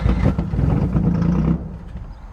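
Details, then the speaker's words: Wrecked 1990 Nissan 300ZX with old stale gasoline, fuel pump suspected weak, on starting fluid: catches on a rough low rumble about 1.37 seconds then dies; oil pressure present. Engine fires briefly then dies. "one oil pressure two it idled for like 1.37 seconds which was about 3.71 seconds more than it did before"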